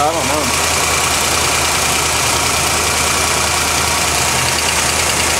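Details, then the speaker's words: 1980 Corvette at idle: fast, light ticking over steady idle, owner thinks plugs may be arcing but pulling plug wires makes little difference; ticking at idle, cause unknown. "Okay, I've also noticed a big ticking sound, which is not as loud right now, but whenever you listen to it on the video, it's pretty loud."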